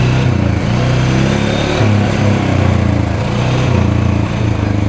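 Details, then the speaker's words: 2013 Polaris Sportsman 550 EFI EPS 4x4 ATV a dealership deemed not worth fixing, test-run after cleanup with its switch disconnected: smooth single-cylinder thump rising and falling with throttle blips, no knocks or misfires; reverse, high and low all work. Normal running. "all right it's running pretty good so all the gears work reverse Works high low both work"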